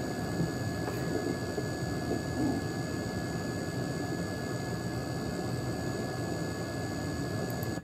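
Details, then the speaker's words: RGB-modded Game Boy DMG audio output, before and after adding 630 µF of capacitance to the 5V rail: a steady high-pitched squeal over hiss that an unmodded clear DMG lacks. Cause suspected, not confirmed. "you can definitely hear there's some sort of high-pitched squeal in this model versus the the clear dmg which didn't really have that same characteristic noise"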